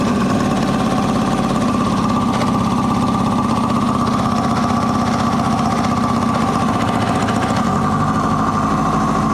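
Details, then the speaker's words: 1980 Kawasaki KZ750 first running, on leftover gas with the fuel not left on, a faulty float, possibly loose intake boots and a vacuum fitting popping off: ragged, uneven idle coughing back through the intake. It runs lean from fuel starvation and likely air leaks. "So, she's coughing back a little bit. She's not getting enough fuel cuz I can't leave the gas on. But that's a running bike."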